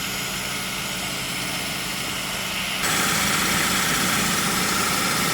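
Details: Ford Focus, 93,905 km, 10 years old, after AC restoration with original compressor (lines flushed, O-rings, expansion valve and drier replaced): with AC switched on the compressor runs with a quieter, smoother hum and hiss, no knocking.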